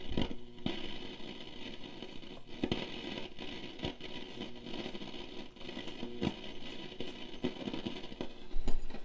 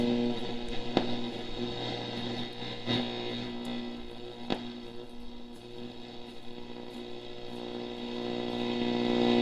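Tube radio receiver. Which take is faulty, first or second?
first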